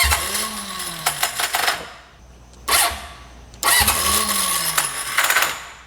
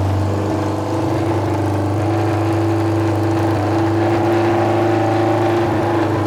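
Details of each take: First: Junkyard Honda CB750F that sat for decades, cranking with choke: two attempts, each a rising then falling starter whine with ragged clatter, never catches; slipping starter clutch. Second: Junkyard Honda CB750F four-cylinder that sat for decades, running again: deep, even rumble at fast idle, very loud out the pipes but smooth and steady with no misses. Starter clutch still needs addressing.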